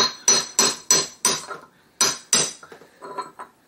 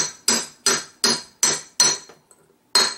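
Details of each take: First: 1969 ball-joint VW Beetle front end, driving a wheel bearing race into the drop spindle hub: sharp hammer taps about three a second with a hollow ring; race not fully seated yet, the tone turns to a high ping once it seats. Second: 1969 ball-joint VW Beetle front spindle during a drop spindle and disc brake conversion: hammer taps on the bearing race change from a hollow sound to a bright, high ping, meaning the race is fully seated.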